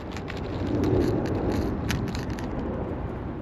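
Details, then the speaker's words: X-Rider CX3 Air 1/10 RC motorcycle (132 brushed motor, 2S 7.4 V) after a top-speed run that ended badly: irregular crunching with sharp ticks under a whirring spin. Broken gyro internals are hitting inside the rear wheel. "All right, so definitely did something with the gyro that's in the rear wheel. You hear it hitting stuff inside there."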